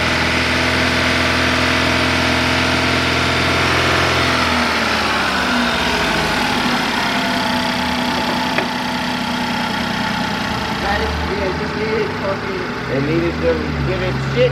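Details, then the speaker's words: Chevy Malibu with Ecotec engine, check engine light on, valve cover smoking: lumpy uneven idle with shaky beat, odd stumble and backfire pops; possibly out of time. "rough idle a little bit of backfire people said it could be out of time"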